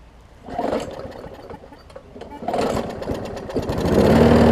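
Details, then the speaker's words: Newer Murray push mower that had oil in the gas and water in the oil: catches in uneven bursts then ragged unsteady run; rough running, owner plans to replace the carb diaphragm hoping that cures it. "all right so nothing atypical here i will replace the carb diaphragm and you'll see me do that a thousand times"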